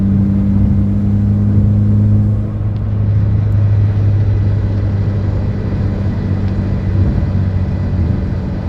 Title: Evo X buzzing noise